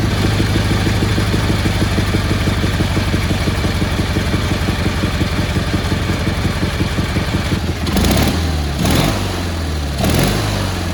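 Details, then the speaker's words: Cub Cadet 1430 garden tractor after mixture adjustment and a new spark plug replacing a suspected fouled one: steady, even putter with no misses and clean throttle blips; normal healthy idle. "he seems pretty happy right there not too shabby"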